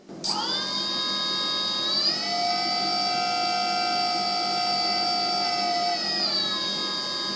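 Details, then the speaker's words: RCTimer 2830/11 1000kv brushless motor on a 450 quadcopter build, the normal quiet motor used for comparison; spins up to a steady clean high whine with no knocks or wobble. "let me show you what it this thing sounds like when i fire it up this is what the quiet motor sounds"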